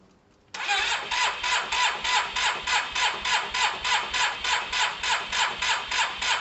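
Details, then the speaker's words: Cheap Yamaha TMAX after cleaning spark plugs: steady even cranking about three compressions a second, never fires; spark judged good enough and fresh fuel in, owner suspects fuel not reaching the carbs, possibly the fuel pump. "It doesn't sound. So that's clear, guys. We think we've got good enough spark. We've got good fuel in there, but I don't think it's getting through to the carbs, either the fuel pump."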